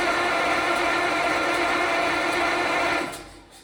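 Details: Caterpillar diesel engine that sat for years, transfer pump confirmed moving fuel: turns over steadily with a dense rattling churn for three seconds, then winds down without catching; lines likely need bleeding. Crank, no start.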